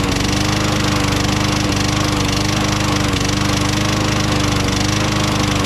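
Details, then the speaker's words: Craftsman mower with 6.75 Tecumseh Vector engine, Seafoam added to the fuel: small engine running steady with a hard, regular knock about three or four times a second throughout; knocking worsened after Seafoam, cause not pinned down. "will admit, that's a pretty good knock in there, you know? Definitely can't sell this mower the way it is, you know?"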